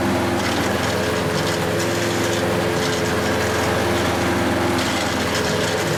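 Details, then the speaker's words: Hayter Harrier 48 460 series mower outside after replacing the drive chain for lost drive: small single-cylinder engine holds a steady, even buzz under light load with no knocking or grinding; normal running. "So, it's now doing what it's supposed to do."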